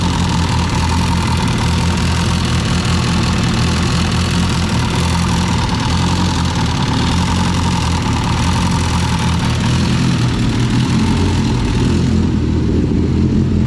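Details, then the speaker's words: All-motor EF hatch with an LSV engine, block cold, quick start: steady idle with a light metallic jingling clatter and ticking from the head. The owner suspects valve adjustment or missing spring-type LMAs; cause undetermined. "The only thing hot is the exhaust. So we're gonna let that cool down, but you can hear that like jingling, tangli"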